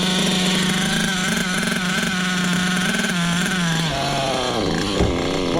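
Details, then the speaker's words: Hobao VS2 nitro RC engine running VP fuel: high revs whose pitch wanders and sags instead of holding steady, then drops off; running rough, owner blames the VP fuel, not confirmed. "Listen to this fuel run. Holy shit. I don't even think VP likes itself."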